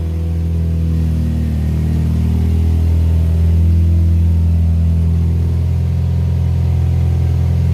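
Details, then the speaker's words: 2004 Scion xB in a garage on jacks after rusty exhaust was rewelded and leaks repaired, muffler off: deep, loud drone swells with revs and settles evenly, no puffing or ticking, a normal sealed but unmuffled exhaust. "let's see what she sounds like and it's gonna be loud cuz you know we're in the garage and there's the muffler [Music] but uh it's not so bad"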